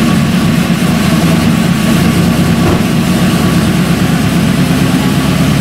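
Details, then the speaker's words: LS V8 first start after installing LS7 roller lifters, Yella Terra roller rockers and LS9 head gaskets: busy idle with fast light ticking over the top from lifters not fully pumped up with oil; hoped to quiet as they fill. "th oil but likely they didn't get pumped completely so there will be noise with those lifters we're hoping that the noise will quiet down after a little while and the engine will smooth out"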